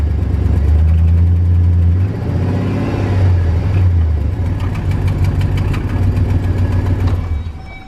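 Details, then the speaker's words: Work van V8 with stock exhaust manifolds, before shorty headers were installed: idle and blips with a sharp, bird-like chirp on each firing pulse, louder with revs; exhaust manifold leak. "they've gotten so bad that they start chirping like a bird I'm not even kidding listen to this"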